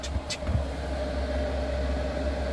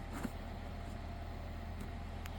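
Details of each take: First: Diesel heater after a revamp with a new ultra-quiet fuel pump, running without its exhaust fitted: a steady low hum and even fan rush after a brief knock at the start, with none of the usual pump ticking. It runs normally. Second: Diesel heater after a revamp with a new fuel line and a new quiet fuel pump, first start attempt: a steady low fan hum with no burner roar. The blower spins but it doesn't light; the owner reckons a fuel supply problem, and an A7 error appeared on a later attempt.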